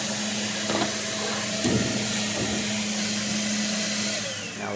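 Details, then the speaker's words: Washing machine that had no hot or cold water fill, tested after replacing the WATTS box. A strong, steady rush of water over a low constant hum shows the inlet now flowing freely: healthy. "we're just gonna go ahead and test it, and right away you can already hear that water flowing a lot more."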